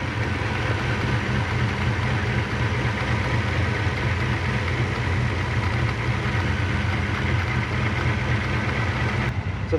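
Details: Lexus LS400 UCF20 1UZ-FE VVTi, about 1998–2000, back from a cam job with codes P1346, P1349, P1351 and P1354: an uneven, lumpy V8 idle with an irregular chattering beat and a chattering throttle; VVTi actuators suspected wrongly reassembled.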